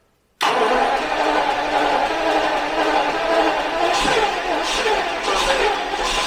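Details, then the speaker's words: Jaguar XJS V12, first start after months of right-hand to left-hand drive conversion work, fuel system primed: a quick crank catches cleanly and settles into a smooth, even idle with no misses or knocks; runs beautifully. "and it runs beautifully well"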